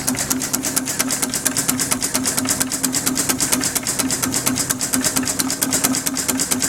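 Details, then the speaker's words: Homemade steam engine built on a Villiers two-stroke crankshaft and flywheels with a bronze cylinder, running on only 10 psi: fast, even chuff-chuff exhaust beat, several puffs a second, steady throughout; running smoothly. "That's obviously the exhaust you can hear there."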